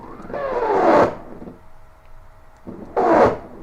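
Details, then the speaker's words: CNC stepper motor on a Mach3 USB controller, jog speed raised (about 2000, micro-stepping increased): harsh rasping bursts break up a thin hum as the motor stalls, losing about 30° and buzzing because the speed is too high. The stall did not happen with the parallel port. "yeah that's a stall so that that speed is too high for this mine completely lost about 30° buzzes like crazy but parallel port is fine"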